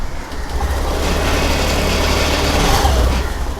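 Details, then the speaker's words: Honda Activa 6G scooter with intermittent running-off complaint, key cycled off and on then self-started: engine catches straight away and settles into a steady low putter with no stumbling; normal start, which argues against an ACG coil fault. "Start ആയി വണ്ടി start ആകുന്നത് കാണാൻ പറ്റും"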